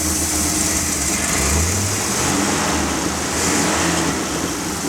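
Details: Dump truck with a freshly rebuilt, reinstalled engine running during break-in; some air lines are not yet hooked up and the transmission was also replaced. Smooth, constant diesel rumble with an even beat and no knocking or squeal; running healthy.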